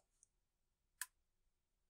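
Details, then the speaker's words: Allen-Bradley MicroLogix 1000 PLC in run mode: crisp relay clicks about once a second as outputs switch on and off with the timer's accumulated value; normal operation. "we can hear the relays clicking on and off as the outputs change based on the accumulate value of our timer"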